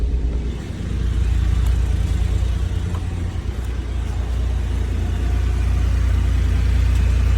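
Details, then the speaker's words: 1991 Honda Acty Street G cold start at 66°, in neutral: a low, even rumble at idle with a steady beat and no misses or rattles, no warning lights; normal cold idle. "Hear the motor how good it sounds."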